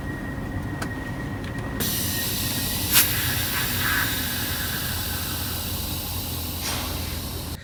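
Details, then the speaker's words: Semi truck, dash parking brake valves: a steady hiss of escaping air over a low engine rumble; the valves also make a high-pitched noise with the truck fully off. Air leak from parking brake valves. "Yeah. And that's not all. They're also making a high-pitched noise when the truck's completely turned off."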